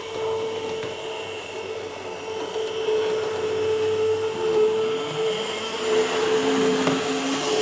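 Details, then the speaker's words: Used Atlas EMD S9 locomotive without a sound decoder, after earlier lubrication: a thin, steady high whine over the track noise, absent at slow speed, climbing as it speeds up; suspected over-lubrication or lubing in the wrong spots. "When the speed increases, you can really hear that whine."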